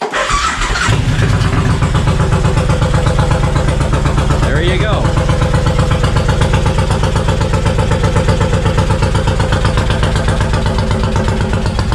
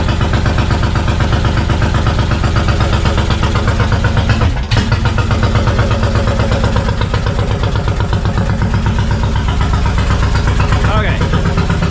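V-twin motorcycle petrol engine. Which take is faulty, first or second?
second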